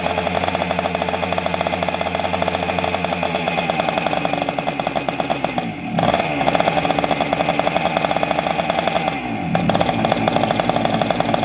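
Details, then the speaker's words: 1976 Honda MR175 Elsinore two-stroke, first start after engine rebuild: fast, sharp popping staying even through throttle dips, with a raspy chuff from an exhaust leak at the front of the exhaust. "1976 yeah it's a two-stroke that's what they do you got an exhaust leak in the front oh yeah i've kind of figured that"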